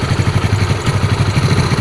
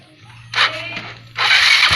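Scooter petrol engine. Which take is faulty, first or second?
second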